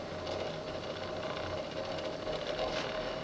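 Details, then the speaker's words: Early-1980s Sears (Emerson) 54" ceiling fan on low speed: steady hum under a loose, chattering buzz-rattle. The worn nylon bushing between the switch housing shaft and the drop flywheel lets the housing rattle, and it is silent when pulled. "is a nylon bushing between the ship switch housing shaft and the flywheel because the switch housing is loose now I pull on the switch housing I instead silent you know when I let go of it buzz buzz buzz buzz buzz"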